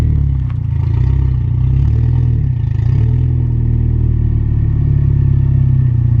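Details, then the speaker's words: Mitsubishi Evo on a test drive after sanding the lip off the outer rotor edges to cure seasonal brake squeal: steady low road and engine rumble, no squeal or squeak; brakes now quiet. "So just took the car for a drive, and by the sounds of it, we got it fixed, which is pretty awesome because everything I read, tried to find, they said, well, it can't be fixed."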